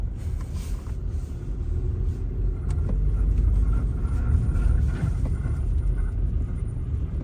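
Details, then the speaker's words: 2007–2010 Hyundai Elantra on a hard right turn: deep rough rumble/grinding swelling under road noise, signs of typical front wheel bearing failure. "Alright, so we have a Hyundai Elantra here, and client's complaint is make a hard right turn, start hearing noises. Hear that? Symptoms, signs of a typical wheel bearing failure."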